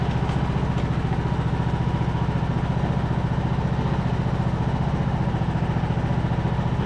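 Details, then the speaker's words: Craftsman YT3000 riding mower, abandoned four years, revived after old oil drained thin as water, spark plug cleared with compressed air and fuel dribbled in: steady, even single-cylinder thump at idle, about three beats a second, no pulley squeal or rattle; sounds good. "sounds good to me I don't hear anything pulley sound good awesome"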